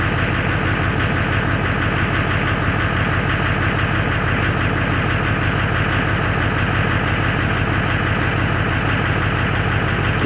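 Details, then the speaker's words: Duramax LBZ diesel on first start after rebuild with 60% over injectors and a CP3 high-flow kit: loud, even idle clatter with a steady pulse about three per second, no misfire heard; check engine light on at startup. "so hopefully we can get it uh get it fired up here shortly gonna be sick [Music] there it is let's go check engine lights on"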